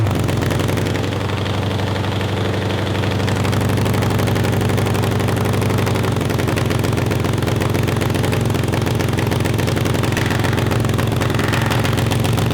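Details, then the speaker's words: Honda CB750 750cc cross kart engine: even low four-cylinder burble at steady idle, no misses or hunting; steady idle. "it doesn't sound awful and it sounds like it's idling so i mean in a weird way that's victory"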